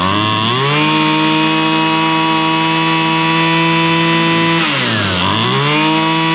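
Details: Husqvarna straight-shaft string trimmer, two-stroke, after carburetor high and low screw adjustment (likely long unused, diaphragm suspected snug); clean steady buzz that dips and picks back up smoothly when blipped, no bogging. Normal running.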